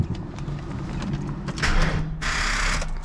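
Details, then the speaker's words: 5.0 Mustang first start after installing gauges, wideband and boost hose: key turned gives bursts of fast chattering clicks with no cranking; dead battery, later jump-started. "no way my battery's dead"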